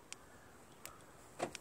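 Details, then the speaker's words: Car door lock actuators after a newly installed remote start that initially would not unlock, working only after a manual unlock: quiet cabin with a few crisp separate solenoid clicks on lock/unlock; actuators now respond normally. "Lock. Unlock. So it works fine now, but I had to manually unlock it to get it to work."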